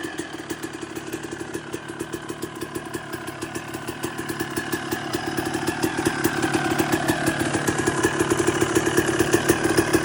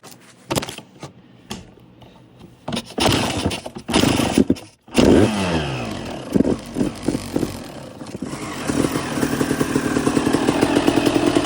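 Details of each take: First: 2002 Suzuki RM250 two-stroke after full motor swap and rebuild, warming up on its last heat cycle with choke on; crisp even idle with steady popping, rising slightly as it warms; runs clean and healthy, normal idle. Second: 2002 Suzuki RM250 two-stroke after full motor swap, first startup and heat cycle with choke on, idle not yet adjusted: sputtering catches then fast burbling slightly uneven run; rich running on choke.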